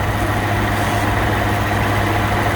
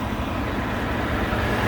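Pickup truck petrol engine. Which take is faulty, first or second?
first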